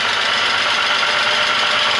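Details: VW Passat Variant 35i VR6 idling after long storage in a hall: light, fast, even ticking over steady idle, recorded close to the noise; timing chains already done, suspected hydraulic lifter (Hydrostößel) tick, unconfirmed.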